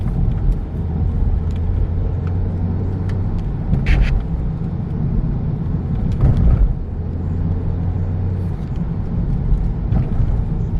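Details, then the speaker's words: 2012 Peugeot 308 1.6 driving after underbody repair; right-side knocking and rubbing noises gone after the Z-rod was replaced. Steady low road rumble, no rubbing or clunks over bumps; normal quiet suspension. "o hepsini kaynağı zehir olmuş z-rot değişti sürtme sesi de gitti log-log ses de gitti"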